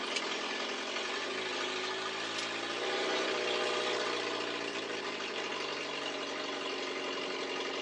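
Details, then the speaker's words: 42-year-old carbureted car not run for a while, just after cold start: raspy, uneven idle with puffing exhaust and slight surging from an exhaust leak upsetting back pressure and choke still partly on. "You can hear her with the back pressure screwed up. She doesn't like running smooth. Plus, her choke is still on a bit."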